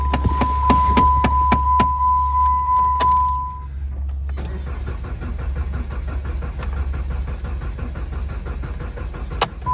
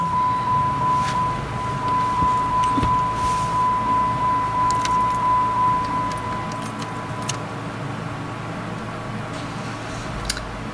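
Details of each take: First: 2012 Jeep Compass cranks steadily at about 3.5 pulses a second but never starts, after a door chime; battery not low, booster connected; codes P0335 crankshaft position sensor circuit and P0522 oil pressure sensor; cause unconfirmed. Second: 2012 Jeep Compass with crank-no-start (codes P0335 crankshaft sensor, P0522 oil pressure sensor) after crankshaft position sensor replacement: cranks briefly, catches on first key turn, settles into even steady idle under dash chime; normal start and idle.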